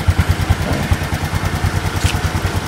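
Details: Honda Future 125 FI motorcycle after idle-speed adjustment done very slowly: even, steady low putter at about five beats a second with no hunting or dying; it idles cleanly and holds speed.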